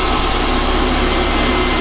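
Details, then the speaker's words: Nissan D21 Hardbody after ASI 2-row radiator install, fans wired to ignition, temperature sensor and battery via fuse, antifreeze filled, engine barely warm: fans just kicked in, steady whoosh over smooth idle, no buzzing, scraping or wobble; fans running normally. "The fans just kicked in."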